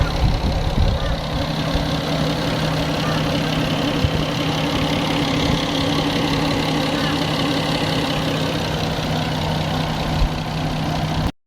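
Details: Nissan RB25DET Neo six-cylinder petrol engine idling steadily with a light, rapid ticking over its hum; owner suspects tappets or an exhaust manifold leak, not confirmed.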